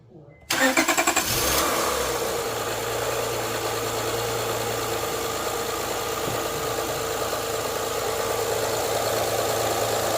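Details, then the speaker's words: Honda Accord after a new timing belt install: brief crank, then the engine fires at once and settles into a smooth, even idle with no knocks or ticks; healthy start. "Okay. Off now again. Sounds good, bro. Yeah, it sounds good."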